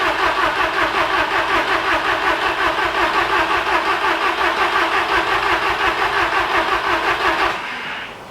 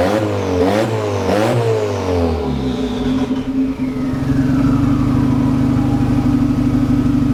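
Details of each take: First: VW Golf Mk1 4Motion AWD turbo project, engine running again: fast sharp raspy puffing chuff at idle, about three per second, then engine cuts; owner finds exhaust leaking at manifold-to-turbo gasket, possibly a loose bolt there. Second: VW Golf Mk1 4Motion AWD, engine running again after wiring work, fuel pump primed: a few sharp blips rising and falling back, then steady, even idle with no clatter; normal revving and idle.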